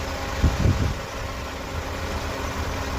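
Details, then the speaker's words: Engine rebuild, first start after the timing was redone several times: steady, even low idle with a smooth, regular beat and no tappet noise heard any more, only the louder fan; the engine sounds healthy. "I don't hear any tappet noise anymore. To be honest, I don't hear anything."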